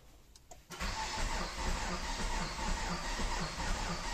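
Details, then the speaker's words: Renault Kangoo 1.5 dCi (K9K, manual) that won't start, with codes DF070 and DF116: uneven cranking with a rhythmic knock about 2.5 per second. Crank sensor and low starter speed from a weak battery are suspected; the mechanic suspects an engine fault. "Тук-тук-тук."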